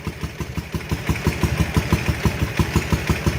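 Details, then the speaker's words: Ural motorcycle twin that sat 11 years, just restarted after its plugged carburetors were cleaned, chokes pushed in: a lumpy, slightly uneven idle at about three beats a second with both cylinders firing. Carburetors still need adjusting; normal idle. "we got her fixed got a mess but we got her fixed start it up really real quick once we got the switch turned on properly"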